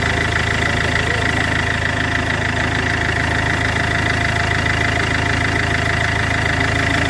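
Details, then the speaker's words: Iveco 2.3 16v diesel running: fast regular rattling tick about three per second over a high whine, turbo wheel striking its housing; turbo blown: turbo blade contact noise. "El turbo. Sí, es con el turbo. Está reventado. Porque tiene reventado."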